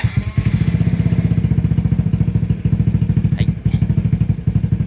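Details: Honda Fusion scooter (reissue model) after parts replacement and oil change, started with brake held and side stand up: fires on first press, steady even low putter about ten beats a second, no misses or knocks; normal idle.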